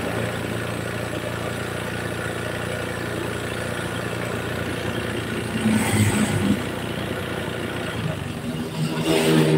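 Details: Honda Beat scooter pushing oil out of the engine breather into the air-filter box, possibly after once running out of oil. Small revs bring an uneven tapping knock from the piston area, suspected piston slap; the piston is to be disassembled.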